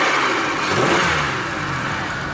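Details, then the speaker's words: 2004 Chevy Venture mobility van, 3.4 V6, about 195,900 miles, engine bay: smooth even idle, clean and quick rev response with no knocks or misses; normal running, no check engine light. "underneath the hood has a 3.4 v6 engine idle smoothly sounds good"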